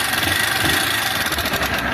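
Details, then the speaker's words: 160 cc motorcycle engine at idle: fast, thin, light metallic rattle without a heavy knock, diagnosed as a worn cylinder kit (cylinder and piston), rocker arms possibly worn too, rather than the connecting rod. "Ó, quando o barulho tá fininho assim, é kit de cilindro."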